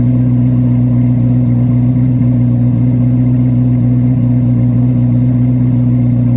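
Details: 2024 Chevrolet Corvette C8 Z06 V8, cold start in garage: deep even drone holding steady at raised cold idle, no knocks or misses; healthy engine.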